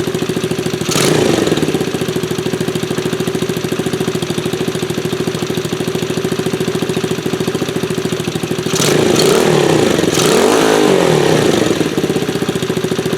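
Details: 1974 Honda ST90 with a fresh top end, started after adding gas: the small single-cylinder engine putters at a steady, even idle with a couple of brief blips and runs cleanly and healthy.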